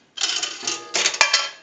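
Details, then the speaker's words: Northern Electric 3-slot payphone after repair and conversion, final checkout, heard through an amplified pickup taped to the receiver: a quarter rattles down the chute, then a single sharp gong strike. Normal quarter signal. "So we're going to start with a quarter, and that will gong one time."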